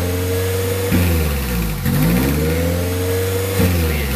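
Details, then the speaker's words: 1994 Honda Prelude with F20B petrol engine: idle keeps sagging and climbing between about 1000 and 2000 rpm instead of holding steady, idle hunting the owner shows. "sometimes people have problems with that Idol where it goes up and down from in between the thousand two thousand rpms adjusting annoying super annoying"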